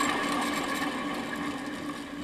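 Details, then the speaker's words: Removed BMW E39 alternator, reportedly 16 years old with 235,000 miles, flicked by hand: a gritty whirring that fades slowly as the shaft coasts far too freely, where the new unit is silent; worn alternator bearings. "those bearings are dunzo if this thing is really 16 years old and has 235 thousand miles on it listen not only is it not supposed to spin that freely it's supposed to be pretty silent"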